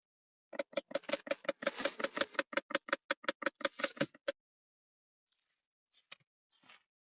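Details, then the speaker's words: 2005 Opel Vectra C, dry rapid ticking, about five a second, from behind the dashboard under the passenger airbag when switched on or at intervals; suspected stripped gear in the flap actuator. Cause suspected, not confirmed. "aracımızı açtığımız zaman kumandadan ya da belli bir aralıklarla tık tık tık tık tık tık diye bir ses geliyor şu bölgeden Muhtemelen bir dişli sıyırması var"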